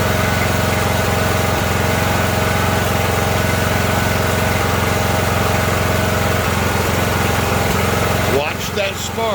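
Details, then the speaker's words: Ariens riding mower with 20 hp Briggs & Stratton Intek, customer complaint of surging and dying: runs steadily, then sags and stumbles while spark stays present to the end; brake cleaner into the air intake revives it, indicating fuel starvation. "the reason it's dying out because the engine is surging and going down so we had spark all the way to the end"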